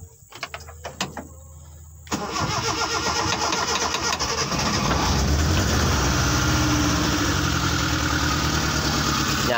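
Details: Car started without the ignition key via a jumper cable: a few seconds of ticking, then the engine catches at once and settles into a steady, even idle; clean, healthy start.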